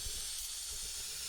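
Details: Bialetti Mukka Express 2-cup cappuccino maker not locking tight: continuous sharp hiss, no pulsing, steam blowing past the upper–lower joint instead of pushing coffee up; dangerous, same issue every trial.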